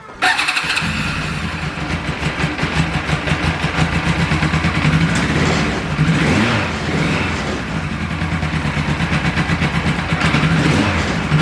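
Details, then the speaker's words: Police surplus motorcycle, sat 19 years, first run after the cam chain tensioner was set: the engine fires up and settles into a steady, even lope with a few blips and no rattle. "that sounds pretty damn good to me well that went surprisingly smoothly"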